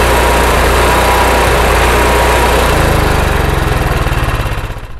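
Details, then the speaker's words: RV generator running without load: the small engine surges, speed rising and falling instead of holding steady, and worse under load. Hunting idle, suspected from carburetor jets blocked by evaporated fuel after months unused. "so you can kind of hear there that the generator is going up and down it's not happy it's not running very well and that's without a load"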